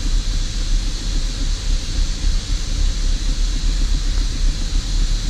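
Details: 2005 Holden VZ Commodore Crewman, 3.6L, engine light on, rough only at idle: low, uneven, lumpy idle; scan shows bank 1 sensor 1 O2 signal low, likely from a large air leak checked with a smoke machine.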